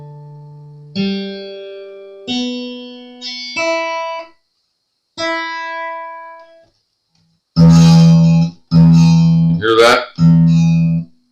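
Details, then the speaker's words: Fender F-35 acoustic guitar after nut replacement, during setup: hard-struck open low E gives a sizzling buzz that stops when fretted at F (first fret); low E nut slot cut too low, insufficient first-fret clearance. "buzzing open E when you grab the F fret it stops buzzing guess what that [Applause] is"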